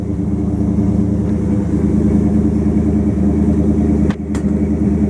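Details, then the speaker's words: 1929 Chrysler 360 with Edelbrock AFB, after straightening bent metering rod (rich passenger side) and regapping plugs 0.020 to 0.035 in: steady, even low idle, no skips; both banks about the same, no popping, repair successful. "But sounds much better. No popping. So I'm going to call that a success."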